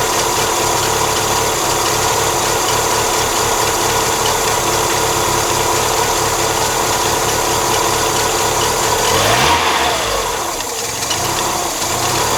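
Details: 1997 Mazda MX-5 Miata idling, microphone on the radiator: a steady idle with a busy, rattly, ticking clatter over the hum from the front of the engine. The cause is not identified.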